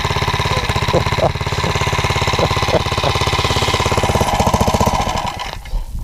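Slow, heavy single-cylinder thumping, about three beats a second, that bogs and fades; the engine is lugging because the gearing is too tall.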